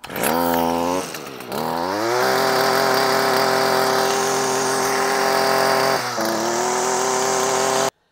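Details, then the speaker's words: Stihl FS 55R string trimmer, about 20 years old, after clearing a clogged spark arrestor (the cause of bogging) and replacing carburetor, air filter and spark plug: crisp high buzz climbs cleanly on throttle and holds steady without bogging; normal running. "The spark arrestor was what the problem was. We also replaced the air filter and the spark plug. Here's how she sounds."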